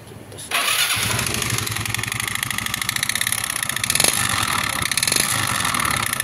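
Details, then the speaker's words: Yamaha Xeon GT 125 scooter idling with a harsh, clattery, gritty metallic roughness throughout; engine runs but sounds very rough, traced on teardown to a worn cylinder block. "Suaranya, yep, seperti itu suaranya kasar banget ya. Dan kita akan cek apa penyebab suara kasar seperti itu, dan tonton aja video sampai habis, jadi teman-teman bisa tahu nanti apa yang bermasalah di motor Xeon GT ini."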